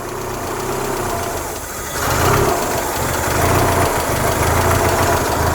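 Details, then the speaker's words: Mazda Miata idling, mass airflow sensor reconnected while running: lumpy, uneven idle with shaky low thumping and the car shaking; smooth and exhaust stops spitting when the sensor is unplugged; rough idle, MAF suspected, unconfirmed. "It's shaking a lot. That's insane. As soon as I disconnect the mass airflow sensor, it stops doing that."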